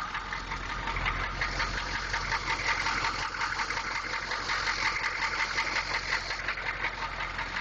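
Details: 6.2 engine at a steady idle with a hard, fairly regular knock near three beats a second over a gritty upper-end clatter.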